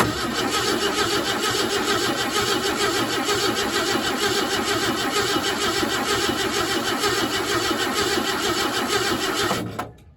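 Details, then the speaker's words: 1968 Ford F100 unrun since 2001, brake cleaner squirted into the crusty old carburetor: steady starter churn for ten seconds with no firing, crank no start; no spark suspected, possibly a bad coil. "So I'm gonna have to see what's going on here. I feel like we're probably not getting any fire."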